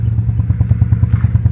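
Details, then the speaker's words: Nissan Almera/March three-cylinder, check engine light on: lumpy, stumbling idle pulsing about eight times a second with shaking; failing ignition coil causing misfire. "ครับเสียงมันจะสะดุดนะครับทุกๆปกติมันจะไม่เสียงแบบนี้นะแล้วเครื่องมันก็จะ[เพลง]สั้นๆผิดปกติครับ"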